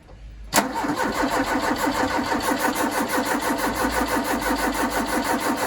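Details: Ford Capri 2.0 after inlet manifold refit, multimeter on coil while cranking: starter catches then grinds on with even rhythm about three beats a second, engine never fires; crank no start.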